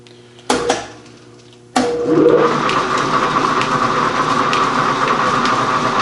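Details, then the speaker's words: Gould & Eberhardt 24-inch heavy duty shaper (1912 patent date; owner guesses 1912–1930), on a test run with automatic X-axis table feed, a dog picking up the feed gear each stroke. Steady run with even low clatter and constant mid hum after start-up: normal running with automatic feed. "And it's got a little pin here, a little dog, that as it's running, this thing's articulating, and this little dog picks up the gear. So we're going to turn it back on, and I'm going to set you up and watch it feed."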